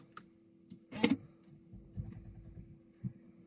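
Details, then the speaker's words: Jaguar XE Ingenium diesel at 136,426 km, after fuel filter replacement: at key-on without pressing the brake, a quiet steady electric hum with soft ticks and clicks as the fuel pumps prime the system; normal fuel pump priming. "et là on entend les pompes qui amorcent tu attends tu attends"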